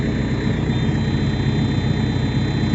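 Steady, even diesel idle with a regular low thump and no misses or knocks; the engine sounds like it is running normally.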